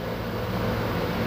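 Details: Ford Ranger whose A/C compressor had not engaged though refrigerant was full, after reassembling the compressor clutch and temperature sensor: the engine idles with a steady fan and compressor hum, no squeal or rattle. Air now blows cold and works normally.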